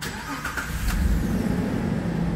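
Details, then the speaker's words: 2011 Jeep Liberty with an intermittent hot no-crank, right after the new ignition switch was installed. Battery shows 12 V, dipping to about 10 V while cranking. A short crank, then the engine catches quickly and runs steadily. Normal crank and start. "ahora vean la diferencia pasó el switch de ignición ahí Ahí está lo paso a y vea que de inmediato hay 12 v y le voy a dar arranque y casi no se pierden los 12"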